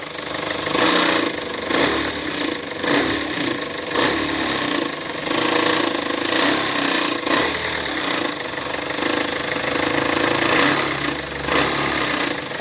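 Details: Peugeot Partner B9 HDi diesel: loud, harsh clatter with a repeated knock that swells as the engine is blipped. Abnormal engine knocking, cause not identified.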